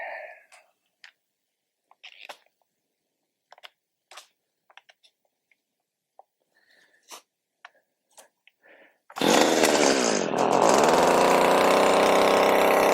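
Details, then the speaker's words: Stihl HS80 hedge trimmer, yard-sale find, next-day cold start after fuel system cleaning, moisture removal and carburetor work for no-start: clicks, then small two-stroke catches, flares and settles into steady high buzz; starts and runs cleanly. "All right, y'all. It's the next day. Let's go ahead and do a cold start on this thing."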